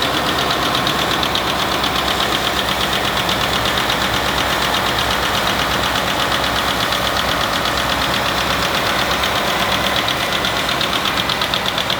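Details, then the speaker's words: 2019 Ford F-150 direct-injected 5.0 at idle: light quick ticking about three per second, traced by stethoscope to driver's side left bank; rocker/lifter tick, repaired by rocker replacement without pulling timing chains. "Today we have a 2019 Ford F-150 that's exhibiting some of the telltale signs of lifter tick."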